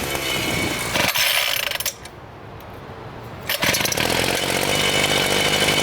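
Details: Homelite 26cc two-stroke mini tiller that sat outdoors for years, running after carburetor gum cleaning and fresh fuel: a high, steady buzz that briefly dips, then picks back up to an even run; the engine sounds healthy.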